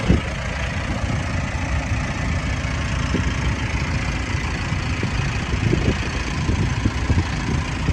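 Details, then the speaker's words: 2018 Mitsubishi Pajero Sport 2.4GT diesel, 160,000 on the odometer, idling at the front with very little shaking. A low, even steady beat with no knocks. Healthy normal idle. "อันนี้ผมสตาร์ทเครื่องไว้นะฮะจะสังเกตว่าเครื่องไม่ค่อยสั่นนะครับจะค่อนข้างนิ่งมากๆ"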